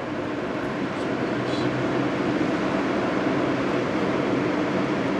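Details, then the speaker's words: 2002 GE AJCS10ACAM1 9,900 BTU 115 V air conditioner, cover off, unused about 10 years, in fan-only mode at low speed: steady, even airflow with no rattles or squeals, fan healthy. "think that's high. Nope, that was low. This is high. So much air that moves. Quite powerful."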